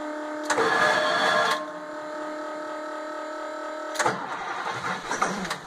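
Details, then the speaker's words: 1996 school bus for a skoolie build, cold start at 28°F in snow: harsh whirring starter grind about a second on first crank, then engine catches and fires. "she goes you hear that starter grind the first time that's okay"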